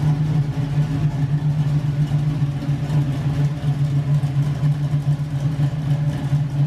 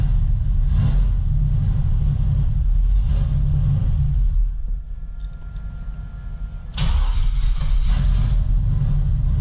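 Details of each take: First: LS-swapped Camaro with big cam, first drive after transmission rebuild, brakes weak: deep steady rumble with an uneven loping beat about once a second; big-cam V8 idling smoothly, nothing amiss. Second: LS-swapped big-cam Camaro on first test drive after transmission rebuild, no gauges connected: loud lumpy V8 sags nearly to stalling, then surges back on throttle; won't hold idle without gas though it idled fine before, cause unknown, later okay with occasional revs.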